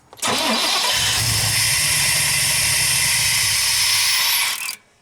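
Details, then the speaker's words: 1993 Chevrolet 3500 wrecker, 5.7L 350 TBI, 5-speed, first start in years: steady starter cranking about four seconds, engine turns but never fires; fuel pump not running, suspected failed pump with rusty tank, runs when gas poured in. "fuel pump's not running on blue I hadn't heard it anyway yeah I don't know so let's start doing some testing see if we can figure out why the fuel pump's not pumping"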